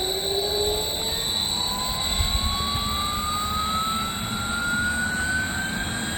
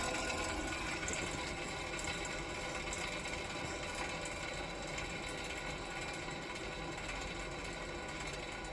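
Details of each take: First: 3-phase 7.5HP (5.5kW) regenerative ring blower used as CNC vacuum pump, run on a 10HP VFD, after cleaning debris out: steady even airflow roar climbing smoothly as it speeds up, no grinding or knocking; sounds much better, acceptable. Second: 7.5HP (5.5kW) 3-phase regenerative ring blower used as CNC vacuum pump, on a 10HP VFD set to coast to stop from full speed: whirring wind-down with rough rattly undertone; owner suspects bearings sound worn.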